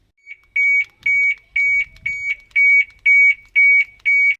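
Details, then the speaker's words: Ford Focus XR5, weak battery sets off the car alarm: eight sharp, even high beeps about two per second, enough to trigger the alarm but not to unlock. "that awkward moment when the battery's got enough to set off the alarm but not enough to unlock"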